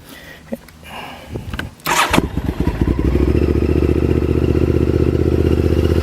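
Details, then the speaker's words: 2000 Honda VTR1000 Super Hawk V-twin, rejetted, revived after 12 years in museum display, cold start on choke at about 85°F: cranks, catches and settles into steady even lope, no misses; choke off after about 30 seconds. "That's a cold start, but with the rejetting, you can see that, and granted it is 85 degrees, you can see I can turn the choke off after like 30 seconds."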